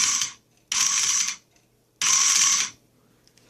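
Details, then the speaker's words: Throttle actuator from a 1995 Mercedes SL600, before repair, passenger-side motor on bench supply raised to 14 volts: short high-pitched whirring bursts about half a second each as the motor spins fast and freely. "spins fast now because of increased power I can break this motor lose most likely as you can see it starts spinning"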